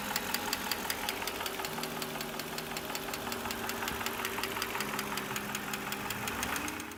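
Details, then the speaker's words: 1997 Mercedes-Benz M119 V8, normally nearly silent: fast, light top-end ticking over a steady idle, as oil is not reaching the cams through the broken caps of the plastic oiler tubes. "if you've ever heard one of these engines they should be nearly silent and uh this one was making some awful ticking noises"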